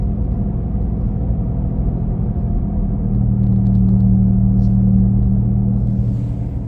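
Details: 2017 Nissan Leaf while driving: deep steady droning hum like a gasoline engine from the rear, louder between 40-50 km/h but present at other speeds, swelling and easing; unexplained rumble, cause unknown.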